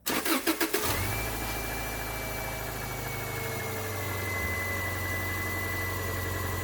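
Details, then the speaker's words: 2001 Subaru Outback 2.5L SOHC automatic, just fitted used AC compressor, before recharging: brief crank, engine catches and settles into smooth, even idle with no scraping or rattling from the compressor; healthy. "now you can see here it is quiet there will be generally with a used compressor a little bit of scrape cuz the rust builds up and surprisingly there's nothing from this one"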